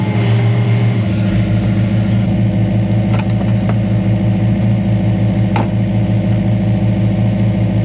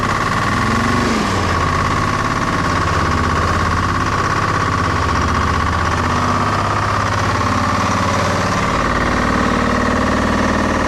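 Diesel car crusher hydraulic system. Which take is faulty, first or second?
second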